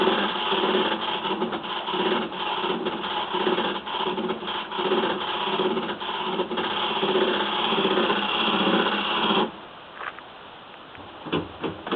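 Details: Samsung washing machine mid-cycle: a loud, rough scraping rub for several seconds, then quiet, then short scratching bursts; the scraping noise happens only sometimes during a cycle.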